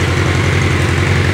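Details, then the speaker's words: Restored 1986 Yamaha Fazer FZX700S inline-four, cold after about a minute of running, with stock airbox, filter and exhaust, new plugs, adjusted float levels and correct timing: smooth, even idle with a steady low hum and no skips, misfires, lean or rich running. "this is what they're supposed to sound like when every cylinder aspiring every time it's supposed to it's not missing it's not lean it's not rich"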